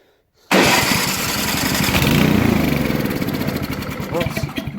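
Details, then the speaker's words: Briggs & Stratton Brute electric-start snowblower that wouldn't start, owner suspects water or ice, after drying out: starter catches at once, small single settles into a steady slightly lumpy run; engine starts and keeps running. "I'm thinking it might have had a little bit of uh just water or ice down the side here"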